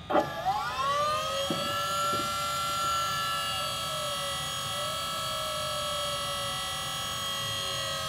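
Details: Rotary-swapped Corvette, electric power steering pump first switched on, drawing fluid down, a fitting leaking: short thump then steady motor whine settling at an even pitch; pump running normally.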